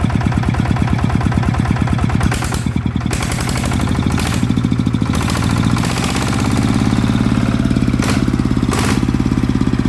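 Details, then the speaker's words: Type 160 single-cylinder diesel that was burning oil, after rebuild/repair: crisp, regular thumping about six beats a second, staying even as revs shift slightly; runs normally with good power. "อ่ะก็ปกติดีนะครับก็เดี๋ยวให้พี่เขไปลองใช้งานดูนะครับก็เดี๋ยวไม่น่าจะมีอะไรแล้วนะครับก็กำลงกำลังต้นก็โอเคนะครับปกติทุกอย่างนะครับ"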